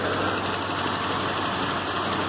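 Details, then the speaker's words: 1973 Ford Mustang 351C V8 with lifter/valve noise, after checking the valve train and fitting fresh oil, still warming up: steady even idle with no top-end ticking, knocks or misses; noise gone, normal idle. "t all fresh oil in there, but you can hear the noise is gone. And I think we got this under control."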